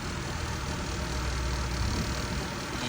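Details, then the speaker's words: Acura TL Type S after catalytic converter replacement: uneven lumpy idle with irregular stumbles, hesitation still heard from the exhaust; owner believes the engine is gone, misfire cause unconfirmed. "I still hear hesitation man from the exhaust yeah still hesitation yep it's bad engine is gone"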